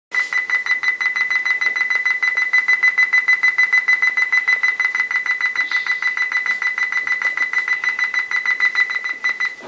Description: While I'm in the middle of something my laptop dtarts beeping and acting weird wifi will turn off on its own and there's no way to turn it on, volume will adjust on its own.